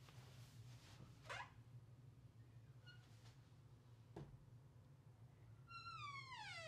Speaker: so in this video i'm going to show you how to do this the right way to lubricate these so that you'll stop the squeaking noise